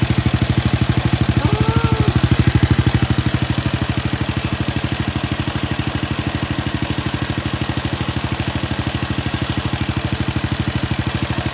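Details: Wheel Horse RS-83 Ride Away Sr. single-cylinder engine first start after fitting new WICO HX magneto coil, points and condenser, choke held; even steady firing with clean regular beat, no misses or knocks, running healthy.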